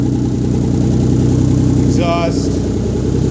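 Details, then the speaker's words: Rebuilt 1997 VR-4 first start-up after rebuild with downpipe not fitted (still needs welding): rough, loud, blatty unmuffled idle pulsing at a steady beat; loud exhaust from missing downpipe. "no downpipe, that's why it sounds like butt."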